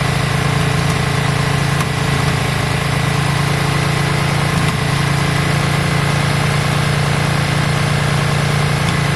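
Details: Yamaha Virago V-twin after carb work, just started with choke on: a steady, even low thrum at a slightly fast choke idle, with no knocks or misses. It doesn't sound too bad; runs smoothly.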